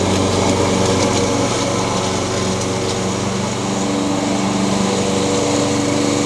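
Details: Honda GCV160 (owner thinks) single-cylinder on a Craftsman mower, after new carburetor fixed surging and an out-of-balance blade was replaced: steady, even buzz with no bouncing or surging; running properly.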